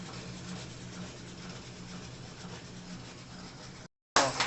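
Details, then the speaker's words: Consul CWC08 washing machine in the spin cycle: harsh, steady rubbing grind with a low drone, then a louder scrape, caused by a part at the bottom of the tub that comes out of place. "o barulho aqui é porque tem uma peça no fundo do tanque que ela tipo que sai do lugar e aí ela fica fazendo esse barulho aí entendeu"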